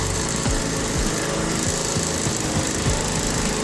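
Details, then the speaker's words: 1990 Toro GTS mower after transmission/gearbox repair with pinion gear and pulleys refitted, first test: steady engine with even pulse under drive load, no grinding or slipping; first, second and third gears all work. "Second gear here now. Here we go. Yeah, we got second gear. Okay, let's try third gear. And yeah! Alright, she works. We got a working lawnmower."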